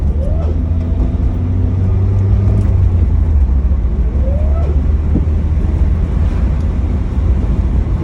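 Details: 2007 Pontiac Solstice GXP: a whine that climbs in pitch under acceleration and drops off when easing, over road rumble. The cause is unknown; both belts were already replaced and the sound remains.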